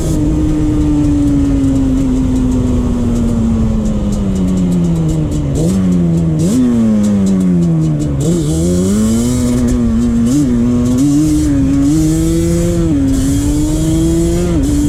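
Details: 2001 Yamaha Banshee 350 two-stroke on a POV cruise after new clamps fixed an exhaust leak: crisp note climbing and falling smoothly through quick early shifts, no puffing or popping. Exhaust sealed, engine pulling cleanly.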